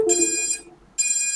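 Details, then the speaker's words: Drone ESCs after reboot with ESC type set to BLHeli32 plus EDT firmware, motors stopped: two short high-pitched beeps about a second apart, the ESCs signalling no DShot signal received. "can hear the ESC's beeping in the background. This is quite a nice feature of the new firmware with EDT support, is they make a noise when there's no dshot signal, so it's quite a good way of figuring out whether you've got dshot signal or not."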